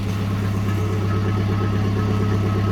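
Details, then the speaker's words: Datsun after an engine bay overhaul and new spark plugs: a steady, even idle with no lope. When cold it used to shake hard and gallop; new plugs possibly fixed it. "yeah it sounds very even so maybe all it did need maybe all it needed was new plugs"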